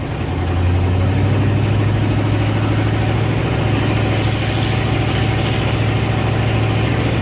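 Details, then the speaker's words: 1984 Ford Bronco, 351 Windsor 5.8 L V8, just fitted with Hedman long-tube headers and no mufflers, not yet warmed up: very loud, raw, lumpy idle with a deep uneven burble, not revved; open header exhaust. "obviously the headers as well as some just miscellaneous maintenance stuff but uh super loud obviously I'm not going full throttle and revving it yet yeah good good sound"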